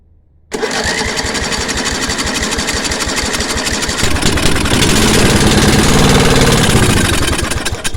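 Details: 10 HP Briggs & Stratton engine with new coil and spark plug, kill switch removed, petrol poured into the intake: fires at once into a rapid, even, lumpy beat, then dies as the fuel runs out; won't start on choke alone, fuel delivery suspected.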